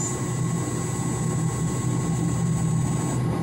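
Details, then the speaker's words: Roughly 25 hp pump motor on a drive: steady low hum with only a faint high whistle after raising the carrier/switching frequency from 4 kHz to about 8 kHz, drive whine now barely noticeable. "changing to seven starting to get quieter change to eight"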